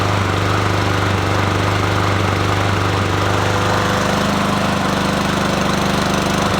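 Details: Troy-Bilt TB110, 550EX 140cc push mower that wouldn't start after a carburetor replacement: loud, uneven running with a hammering pulse around three to four beats a second and a lumpy note; rough running.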